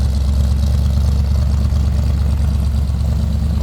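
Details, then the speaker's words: 1964 Chevrolet Impala SS, 327 V8 with headers, recorded at the rear tailpipe: deep, even low burble with steady lope, no misses or knocks; healthy idle. "Now, first of all, let's go around to the back so you can hear this thing run. Little rumble coming out of that 327."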